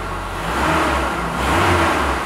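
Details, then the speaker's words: 1999 Ford Ranger 2.5 L four-cylinder after fuel injector replacement without removing the intake: even hum rising smoothly with two gentle throttle blips, no skips or stumbles; now running on all four cylinders, no leaks. "And it's running on all four. So that's a lot better than it was when I started."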